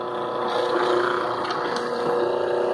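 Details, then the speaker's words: Ventisol wall fan that stopped working; besides the blown fuse, motor hum wavers and warbles with a rough undertone; worn motor bearing, fix is replacing the motor. "nesse caso tem mais problema além do fusível o rolamento está com o programa"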